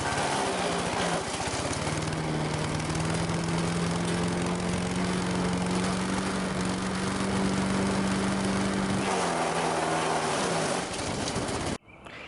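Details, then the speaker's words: Late-1980s Sears Craftsman 9HP chipper/shredder, about 30 years old, running: a strong, steady drone that climbs slightly as it settles, with no surging; still running strong. "So it's about 30 years old and it's still running strong."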